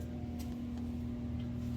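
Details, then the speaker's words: Generac standby generator that came with the house, running during a power outage and heard from inside the shop at a distance: a steady, even, unbroken drone and hum. "got a generac over there generator and uh it was there when i bought the house"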